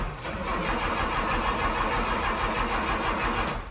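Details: Classic Mini: steady rapid cranking at about three beats a second, engine turns over but does not fire; hard starting, prolonged cranking.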